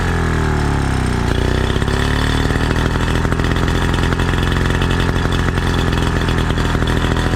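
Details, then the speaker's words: 1936 Johnson Seahorse Model 200 outboard after adjusting fuel mixture: settles into a smooth, even idle for about 10 seconds with no misses; wrong mixture was the cause. "That was it. Fuel mixture ratio was off. Yeah. She had fuel. Hell yeah. She's a thirsty gal. But yes, she runs. She runs good."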